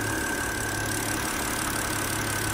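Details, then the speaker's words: 2006 BMW X3 E83 petrol six-cylinder, idling after replacing the faulty cylinder 3 ignition coil that had caused an intermittent misfire (fault code 29CF): a steady, even idle hum with no misfiring or skipped beats. Misfire fixed. "as far as these five goes um I think you can tell that there's no misfiring"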